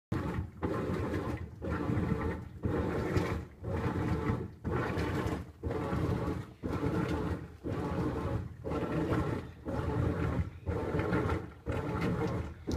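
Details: Whirlpool Cabrio washing machine, once thought broken: deep whooshing roar rising and falling every two seconds as the drum agitates, steady and even; normal wash cycle sound.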